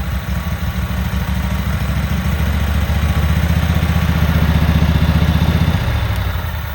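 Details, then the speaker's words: Cub Cadet Super 2284 garden tractor test fired with covers off and bolts missing, after water was drained from its tank: even, steady thump of about three pulses per second with no misses or knocks. The motor runs really good. "But this motor runs really good."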